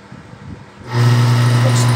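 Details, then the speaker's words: Water pump motor previously fitted with a replacement capacitor, used two or three times and overheating: heavy low hum with uneven wavering tone and strong vibration, heating up quickly, no thermal protector apparently; oversized capacitor makes it run rough and hot. "y regular y ese como vida vibra mucho la bomba lo voy a desconectar porque de una vez me levanta temperatura y se me calienta"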